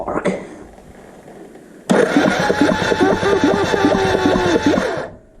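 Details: Suzuki GN250 engine during reassembly, first test with mocked-up wiring and added solenoid ground: quiet, then steady churning crank about four pulses a second until cut off; starter turns engine over normally.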